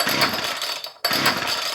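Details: Poulan Pro 210 two-stroke chainsaw after a Walbro carburetor rebuild, untuned, on choke after sitting about five years: two short bursts of raspy high buzzing that fade quickly; it fires up and runs only briefly.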